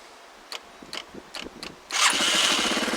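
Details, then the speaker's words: Small engine started after sitting a week, battery revived with Epsom salt: four quick starter cranks about every half second, then it catches and settles into a steady busy run; starts readily, healthy. "And this thing hasn't ran in a week. So if the battery's draining at all, it's going to drain. So let's fire it up."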